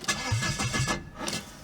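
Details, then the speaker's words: 1995 Vauxhall Cavalier MK3 X20XEV, starting with O2 sensor disconnected during crankshaft sensor job: about four sluggish starter pulses a second that drag and fade; slow cranking from a flat battery. "the battery is a bit flat on this car unfortunately"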